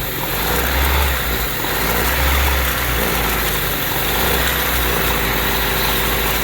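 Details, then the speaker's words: Honda Civic with surging idle: brake cleaner sprayed around injector and intake manifold area changes the steady idle as it temporarily seals a vacuum leak. "so as you heard the idle change basically what's happening is that vacuum leak is being closed up by the brake clean"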